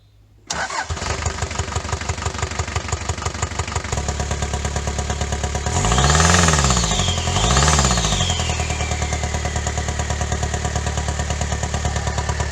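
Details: Daihatsu Fourtrak pickup after engine swap (old engine blew head gasket), restarted after tightening a loose oil-leaking fitting; cranks, catches at once, even idle with brief revs; sounds healthy, though an intake popping was later suspected from excessive valve clearance.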